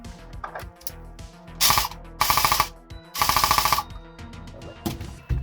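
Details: Specna Arms X Series Flex airsoft gun, sounding quieter: three crisp full-auto bursts with a fast, even rattle and clean stops; the gearbox cycles smoothly and sounds properly shimmed.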